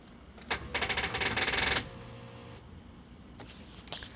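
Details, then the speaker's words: 2006 Jeep Wrangler TJ, manual, new battery but low voltage, replaced camshaft, crankshaft and computer: key turn gives a second of fast rattling chatter from the ASD relay, no cranking; owner suspects ASD relay blocking fuel or spark; no start. "all right try to crank it that's what happens and the asd relay is making that buzzing noise try it again"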